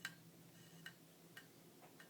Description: MacBook is making a clicking noise and Shows a folder with a question mark on it. Will not start up.